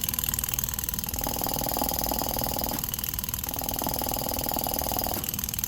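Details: EVAP canister purge valve driven by scan-tool actuator test at about 10% duty cycle: fast, even popping tick about four per second over a quiet idle, in waves; circuit passes, but the valve may be sticking or mechanically failing.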